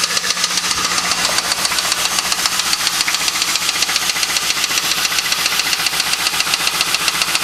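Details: Sharp, even knock at about 220 a minute runs steadily through the idle of an LS1 engine, heard since the night the car was bought; owner suspects a spun bearing, not confirmed.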